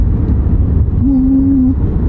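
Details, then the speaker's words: Mexican-built Volkswagen, customer's mystery noise while cruising: steady low booming drone under road noise, no knock or grind; the tires' tread pattern is the source, nothing wrong with the car. "hear the tires boom boom boom that's the noise he hearing it's the tires"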